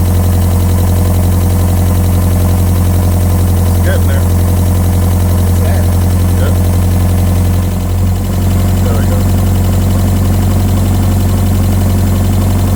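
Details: Mazda Miata engine running after a no-start was traced to incorrectly plugged ignition coil connectors, timing rechecked: steady, even idle with smooth low drone, no misses, knocks or ticking; running cleanly.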